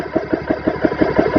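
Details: GX CS3 4500 PSI air compressor, test run set for 3,000 PSI with fans on, bleed valve closed, pressure passing 500 PSI: regular, steady, even thumping stroke about six times a second as it pumps up; healthy compressor.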